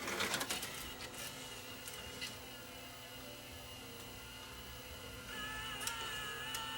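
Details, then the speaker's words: Tascam DA30mk2 DAT deck that won't accept a tape: a thin whirring hum with uneven ticks as the loader strains and never finishes its cycle. A slipping belt is suspected, and dirty switches also stop the tray from staying open. "okay so maybe we got a slipping belt on this yeah sounds like we got a slipping belt"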